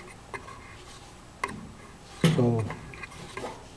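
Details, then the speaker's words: GE gas dryer, about 15–20 years old: irregular light ticks and ratchety scrape as the blower fan rubs its housing because the motor mount shifted forward; pushing the motor back made the noise disappear. "so it turns out quite a bit of noise is coming from this blower fan because the motor maybe the mount has shifted a little bit so it's moved forward and the fan is rubbing against the frame"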